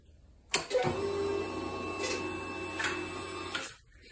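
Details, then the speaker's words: Kawasaki Ninja 300 after a car-relay patch for burned relay wiring: at key-on, a steady light electric whir for about three seconds then stops cleanly, a normal fuel pump prime; headlight still without power. "the fuel pumps on the no headlight but maybe because pin number one doesn't get anything until the engine's running"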